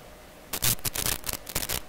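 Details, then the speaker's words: Heathkit IM-13 VTVM whose case reads 145–150 VAC, connected to a grounded three-wire piece of equipment: sharp irregular crackling bursts over a quiet hum, electrical interference picked up through the meter that is not audible in the shop. "And wow, that's really coming across. You know, like, this is interesting now. I've been hearing these kinds of sounds that, if you watch my videos, you hear them a lot on the video, but they don't make a sound here in the shop at all."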